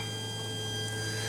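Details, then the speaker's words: Mercedes ML with M642 diesel engine that smokes: during an actuator test the solenoid gives a steady thin whine with no click or movement; energised but not actuating, test fails. "От у нас є соленоїд е я намагаюсь його запосунути він чуєте пищить не дає відповідно виходжу з тесту"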